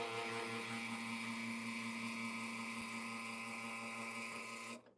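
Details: Lelit Bianca espresso machine with a pump noise that has got worse, pressure climbing slowly toward the 9-bar target: loud, steady buzzing hum at full flow that cuts off cleanly; cause unclear, possibly a water-starved pump.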